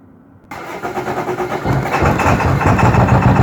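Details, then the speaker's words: 2002 Ford F-350 Super Duty 7.3 diesel, cold morning start after repeated glow cycles, hard start blamed on a bad glow plug relay: catches and settles into an uneven, lumpy, slightly surging idle that clears once warm; rough cold idle. "She'll clear out, and then she'll drive like a champ. But in the mornings when it's cold, that's how she goes."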